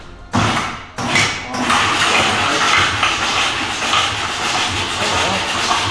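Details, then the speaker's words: VW pickup diesel converted to run in a river, injectors removed: fast, hissy cranking with a rough, uneven beat and no firing. It is cranked to blow out water that backflowed through the exhaust into the cylinders after shutdown. "When it comes back, if that intake valve is open, it goes in and fills up the cylinder with water. So we just take the injectors out, crank it over, and it blows everything out."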